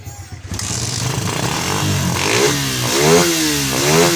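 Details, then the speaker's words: Suzuki Satria FU that stuttered and wouldn't rev despite a cleaned carburetor and new spark plug, now on a good battery: catches and takes throttle cleanly, rising and falling smoothly; fault traced to the charging system not supplying power; normal revving. "Dan setelah dikasih aki yang normal, ini motor sudah bisa ngegas."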